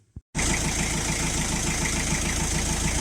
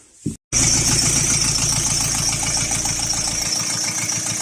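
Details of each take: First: Diesel Chrysler Voyager 3 engine after an oil change with soft then hard flush, recorded in the garage: starts and settles into an even idle with regular light clatter, no heavy knock; hydraulic lifter tap now much reduced. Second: Chrysler Voyager 3 diesel, warmed about 10 minutes at idle: light quick tapping about three per second over the clatter, a hydraulic lifter knocking, intermittent and fading; flush before oil change.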